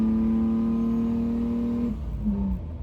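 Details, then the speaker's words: 1989 Ford Thunderbird Super Coupe with Holley Terminator X, accelerating after a $10 fuel-system fix, with a bad alternator not charging (10.7 V): smooth rising note that pulls cleanly without surging or stumbling; no fuel starvation now. "not showing any signs of fuel starvation now."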